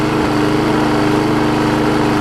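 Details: Six-horsepower Quantum-type Briggs on a 20-inch Murray mower, running after a carburetor bowl and jet cleaning. A steady, even drone with constant pitch and no surging or sputter; the engine runs cleanly and normally.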